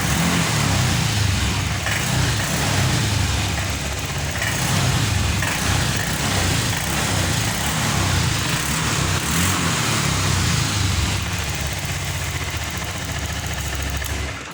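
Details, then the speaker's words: Honda Vario 125 FI scooter that would not rev, fuel pump pressure stable at 40, after replacing a clogged dirty injector: revs cleanly up and drops back with no stumble or popping; throttle response fixed. "Yang di awal tadi kita tarik handle gas secara spontan, motor ini tidak mau naik gasnya. Sekarang sudah sembuh teman-teman."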